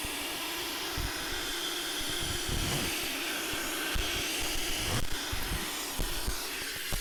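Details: Steady hiss with sharp puffs riding on the idle pulses, consistent with exhaust escaping from a leak somewhere in the system, heard with a phone microphone after a smoke machine failed to find it; suspected exhaust leak, not confirmed.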